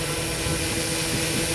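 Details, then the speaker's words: SuperX-controlled 1100mm hexacopter during repeated attitude-mode takeoff attempts: high-pitched prop roar and rushing air swell unevenly, as if the motors kick into second gear mid spin-up; motor surge, cause unclear to the owner. "it's weird it spins up and then it just gets all crazy it's like like it kicks into second gear"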